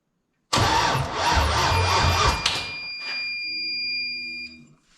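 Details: LS-swapped Ford LTD Crown Vic on its first start, with a jump box and low battery voltage: starter cranks hard, the V8 catches and runs roughly for a couple of seconds, then dies. No throttle cable fitted yet; oil pressure showed.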